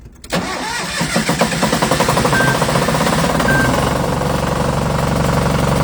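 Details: MEP-002A military diesel generator, unused for 20 to 35 years, with rusty fuel from a corroded tank: brief choppy cranking, then it catches first try and runs smoothly with no knocks or hunting.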